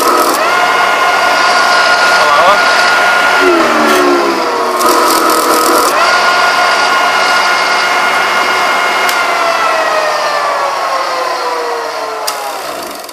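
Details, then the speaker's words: 2 CV electric motor driving a re-magnetised generator: whine holds steady, then sags lower once a ~1200 W iron (~5 A) load switches on; overloaded, dropping toward starting speed, breaker contacts sparking but not tripping. "Acontece que pesa tanto para o motor que ele cai para a partida."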